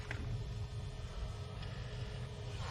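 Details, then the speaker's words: 2013 Jeep Patriot after blend air door actuator replacement (old one clicked under dash): door sweeps full cold to full heat with only steady low blower and engine hum, no clicking; normal actuator operation. "that's full cold we'll go to full Heat nice and quiet no"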